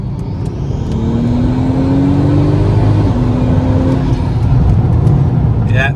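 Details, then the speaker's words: MK5 Golf R32 Turbo (VR6), just over a quarter tank, after new fuel pump in second-hand sender: hard pull with note climbing steadily through gears, no stutter or cut under full boost; fuel starvation that used to cut the engine is solved. "definitely no issues there so I would say there 100% solved my fuel start basing issue I'm happy with that"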